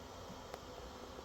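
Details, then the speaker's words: New electric water heater under warranty after an element replacement, system filled with no air: a faint, steady buzzing hum with no crackling as the top element is energized; heating normally. "energized you can hear that top element humming getting that"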